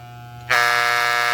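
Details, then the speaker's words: Soling Barber Pro Chrome hair clipper: motor hum jumps to a loud, harsh buzz as the tension screw is tightened, drive parts striking from overtightening; backing the screw off until the buzz stops is the usual adjustment. "até ela fazer o barulho. Fez o barulho, volta até ela parar de fazer barulho. E aí tá regulada."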